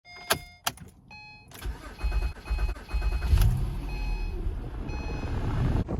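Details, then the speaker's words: 2010-2013 Acura ZDX after sitting parked: starter cranks about 3-4 seconds longer than normal before firing; owner suspects low fuel pressure or fuel pump relay (intermittent pump priming), with MAF sensor as another possible cause. "So our Acura ZDX has been having a rough start where it just cranks for a really long time, about 3 or 4 seconds after the engine normally should start. It just keeps cranking for a little bit until the engine ignites."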